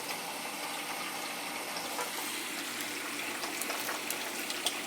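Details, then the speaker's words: House heating loop with PEX piping on well water, purged through the purge valve; steady hissing water rush with spitting bursts as trapped air clears, the loop is airbound and won't circulate; the circulator is also suspected. "can hear the air coming out of it. Hear the air coming out, see it? Airbound. Gotta get that out of there, it won't circulate."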